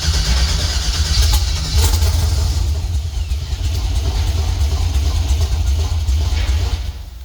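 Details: 1964 GMC truck with new wiring, first start attempts: deep V8 rumble catches briefly, wavers, then dies; IAC goes to 100% and air-fuel ratio swings lean or rich before stalling; stalling after start, cause suspected.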